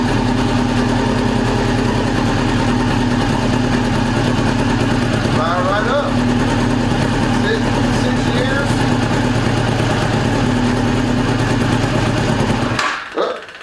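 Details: 2002 Yamaha YZF R6 sitting 6 years, first start on fresh gas from an electric fuel pump: fires, runs loud and ragged with a lumpy uneven beat, then cuts out. Fuel leak; owner suspected a sticking float, then found a loose carb drain screw.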